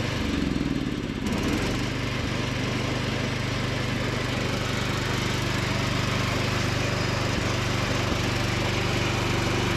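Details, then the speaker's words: Free John Deere D110 riding mower after repair and carb cleaning, driving with mowing deck engaged: steady, even drone with blades turning, takes load without hunting or stumbling; normal running under load. "But let's go ahead and crank it up and kick on the deck, drive it around a little bit, and show you guys how it performs, and we'll probably wrap it up from there."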